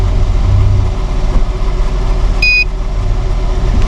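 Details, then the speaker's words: Kia Sedona at auction, idling slightly high, OBD scan showing no errors: smooth, even low idle with steady hum and one short scanner beep, no strange noises; normal idle. "todo se ve bastante motor bien limpio, extremadamente amente limpio, cero ruidos extraños"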